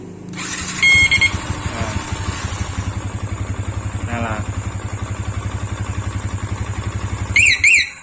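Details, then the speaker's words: Motorcycle with CR7 remote alarm: alarm chirps, then starter cranks almost instantly and engine settles into a quick idle; remote start has no delay, owner plans to add a 5-second starter delay module. "Namun kekurangannya adalah starter ini sama sekali tidak memiliki jeda. Karena apa? Tidak ada alat untuk mengatur penundaan pada perangkat ini."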